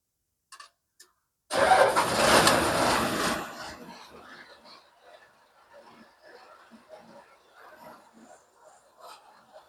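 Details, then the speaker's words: Diesel engine, unused perhaps 7–8 months since the last rice harvest, cranks briefly and catches with a loud burst of firing, then settles to a quiet, steady idle; starts easily and is healthy. "ท่านผู้ชมก็ถือว่าติดง่ายนะครับขนาดไม่ได้ติดมากี่เดือนแล้วนี่ตั้งแต่เกี่ยวข้าวเสร็จนะครับ"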